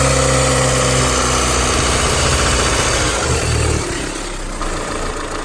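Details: 2001–2005 Honda Civic LX engine running: rough fairly regular chatter near four per second fading as revs drop, strange noise when accelerating; worn-out timing belt tensioner.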